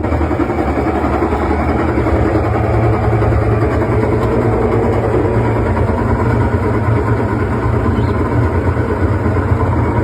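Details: Washing machine on spin cycle after replacing its shock absorbers: steady, even low hum with no knocking or banging; drum runs smoothly and balanced, a clear improvement over before.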